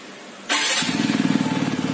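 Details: TVS Apache RTR 200 BS6 motorcycle fires up and idles with an uneven, stumbling beat and dropped pulses; misfire from a dirty fuel injector and throttle body, fixed by cleaning both.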